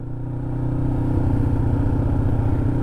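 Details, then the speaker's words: 2007 Kawasaki Ninja 500R twin riding after carb cleaning and new needles: revs climb smoothly with even firing and no stumble or pop; running cool, not overheating, shifting smooth; normal running. "it just sounds so smooth it's not overheating everything's running cool like it should"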